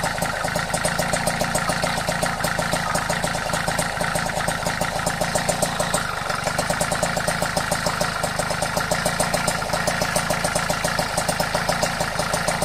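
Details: Vespa Ciao moped idling. Crisp, sharp ticks about three to four per second over a light two-stroke idle, steady throughout; the ticking disappears when riding away. Cause unknown.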